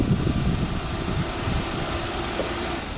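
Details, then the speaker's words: 2014 Jeep Wrangler remote-started with the key fob: the engine catches, idles roughly for a few seconds, then shuts off. Display says remote start aborted due to low fuel; normal remote-start shutdown on low fuel. "and then you notice it turned right back off the reason for that is because the fuel is low right there well it's not showing out but anyway says remote start aborted because of low fuel"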